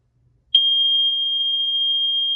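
A single high-pitched tone starts sharply and holds steady without breaking; the alarm sounds continuously on test, as it should.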